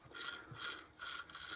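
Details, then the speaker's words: Hoover Junior 1334 vacuum motor reassembled, fan not fitted, armature turned by hand: soft scratchy rubbing in slow bursts from new carbon brushes on the commutator, noisy until they bed in. "the noise you can hear is the carbon brush rubbing on the commutator down there"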